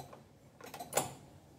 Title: Cách xử lý xe tay ga , AB, hết điện ắc quy, hết Bình tại nhà thật đơn giản